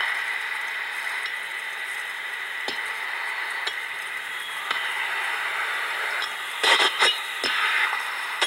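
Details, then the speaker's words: HP/Delcon 4905A ultrasonic leak detector with contact probe on a window AC coil charged with nitrogen (R22 unit): steady hiss, then sharp squealing bursts as the probe finds the refrigerant leak in the coil. "so what's doing is taking the leak you can't hear by ear and going through and down converting to where you can hear and that's an ultrasonic leak detector"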